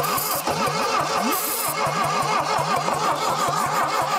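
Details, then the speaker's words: 1968 Saab 96 V4, sitting over 40 years: slow, uneven cranking at about three compression pulses a second with long gaps, never catching; it turns over too slowly and compression is weak, with rings suspected of not sealing. "so but we're just fighting it turning over too slow we're fighting just no compression at that point too"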